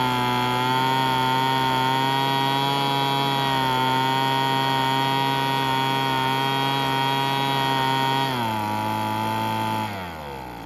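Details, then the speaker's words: Curb-found Weed Eater BV1650 two-stroke blower vac on fresh 40:1 fuel, first run: high steady buzz at full throttle, then revs sag in two steps, running rough; owner thinks it must burn off spilled oil. "all right I think it's got to burn off all that oil that was everywhere so I'm going to run it on a full blast for a little bit and see what see if it clears up"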